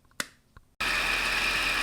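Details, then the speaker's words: Mercedes CLS55 (M113K) with long-tube headers, after replacing a blown-out exhaust manifold gasket: a couple of clicks, engine fires and holds a steady even idle with no more ticking; exhaust leak fixed, manifold sealing properly. "right so as you can hear we have no more ticking noise it's literally a night and day difference"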